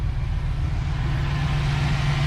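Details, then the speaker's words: Ford Fox Body Mustang V8 idling low and rumbling with no steady rhythm; suspected no camshaft installed, timing unknown and not set, number 8 injector found in bad shape; rough idle. "i'm gonna be honest with you the way that sounds it just sounds like it's not running very good i'd almost be willing to bet this car does not have a camshaft in it so listen closely to the way this sounds it doesn't really have a rhythm to it right now"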